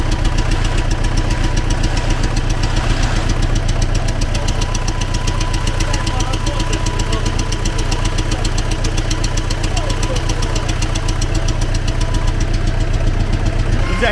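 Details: T-40AM tractor diesel idling in about -14°C after a month standing, started with the manual throttle pushed fully open; regular heavy knock about 1.5 per second in time with the engine, internal engine knock, cause unknown.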